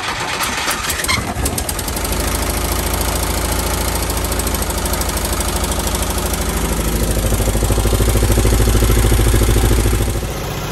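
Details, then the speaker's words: Bus parked at least 20 years, revived after turning by hand with plugs out: cranks briefly, catches and settles into a steady, even run that rises slightly before shutting off; engine runs fine, only needs brakes. "so once again we took a bus that was parked for at least 20 years and we made it work it just needs brakes and it's ready to drive"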